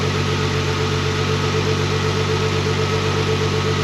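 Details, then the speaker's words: Nissan GTR with a cat delete system, possibly mounted upside down: steady even idle with a smooth low drone and no knocks or misses; owner says it sounds good. "started it up I don't know if the audio picks it up very well or not but it sounds good mine's good"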